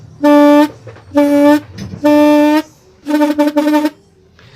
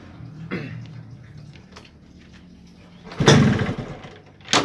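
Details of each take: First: Yamaha RX-King two-stroke reed valve reassembled after leaking at all four petals, which caused poor idle and bogging: four hard blows through the reed block each give a clean, steady buzzing tone, so the petals now sit flat and seal fully. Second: Yamaha RX-King two-stroke, heavy low throttle and high fuel use: runs only on short throttle bursts, sags and nearly dies, won't idle; all four reed valve petals found open and leaking; rough running, won't idle.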